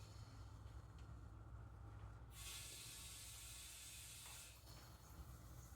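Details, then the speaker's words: 1962 International Cub Cadet Original garden tractor tire inflated to 30: under a low background rumble, a loud steady hiss of escaping air for about two seconds, then fading, air leaking past an unseated tire bead, which is possibly slowly seating. "that's 30 and it's still leaking like crazy but I'm not going any more than that sounds like it's actually slowly seating though"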